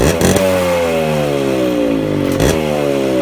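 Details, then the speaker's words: 2001 Suzuki Samurai two-stroke motorcycle, cold start, firing at once on the kick: crisp note climbs smoothly as it revs then settles, firing cleanly and evenly; normal healthy start and rev. "വണ്ടി അടിക്ക് start ആണ് അതാണ് to സ്ട്രോക്കിന്റെ Paul അതാണ് വണ്ടി അടിക്ക് start ആണ്"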